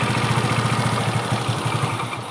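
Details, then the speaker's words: Yamaha Nouvo 5 scooter with weak compression (about 7 kg) and hard starting, run with the three-in-one sensor unplugged: uneven single-cylinder putter sagging and fading, then dies; stalls with sensor disconnected. "em thấy không nổ máy được trong vòng khoảng 1 em mới là nó sẽ tắt máy nha"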